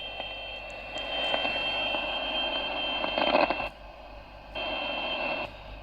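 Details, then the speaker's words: CB radio on 27.615 with intermittent receive, before repair: received audio with a steady tone cuts out for about a second, then returns; the antenna socket ground on the back of the SR-239 board is found unattached. Intermittent receive from a loose antenna ground. "and ah look at that the ground is not attached uh-huh but here's what the problem is"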